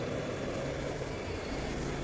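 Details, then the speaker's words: Hayward 1.5 HP pool pump after its noisy bearing was replaced, sound unamplified: steady even motor hum with a low drone, no grinding or rumble. Normal running. "ini suara aslinya Ya ini suara asli kan tidak kami besarkan tidak kami kecilkan ini suara aslinya seperti ini ini"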